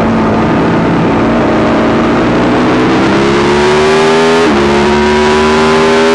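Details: YZ450 single-cylinder engine in a supermono race bike: revving under load with an uneven beat and a stumble partway through the pull; constant misfire, worse after a couple of laps, cause unknown despite changing carb settings, fuel tank, filter, breathers, ignition, coil, generator.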